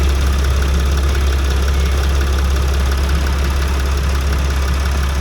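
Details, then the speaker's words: Extended Sprinter van diesel after DIY replacement of pulleys and seals: steady even idle with smooth drone, belts not squeaking, no leaks, earlier bearing noises gone; healthy. "my belts are good, not squeaking, nothing's leaking anywhere. So we're all good. No more of those nasty bearing sounds that I've heard."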